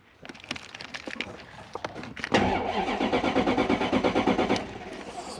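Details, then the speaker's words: Toyota Soarer 1UZ V8, cranked via screwdriver with no fuel delivery, listening for compression: starter spins the engine with even, steady compression pulses about three per second but never fires; compression sounds even. "then using our ears we're using our ears we're listening for compression"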